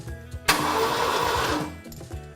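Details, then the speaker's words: Ford engine after starter rewiring fix, first spin-over: short, even burst of cranking turning the engine freely without grinding; starter works, coil heard firing, retiming follows. "Yeah, we actually have a working starter, unlike."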